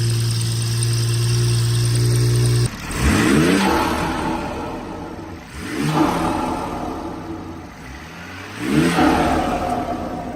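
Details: BMW F30 340i (gen1 B58) after a front mount intake and upgraded turbo inlet install: smooth, even idle, then three clean revs that rise and settle without misses or rattles. The engine sounds healthy.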